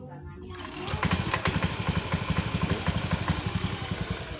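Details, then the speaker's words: Fuel-injected scooter, freshly started with the left brake-switch starter: uneven, lumpy idle beats about four a second that swell and sag; idle not yet stable. "Oke ini untuk mesinnya belum stabil suaranya ini sudah nyala belum stabil"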